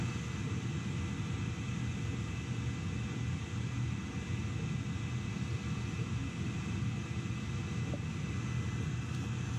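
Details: Gas boiler with a delayed-ignition backfire problem, burner running during a gas pressure test at about 3.5: a steady, even low roar with no pops, surges or flutter. Burner firing smoothly.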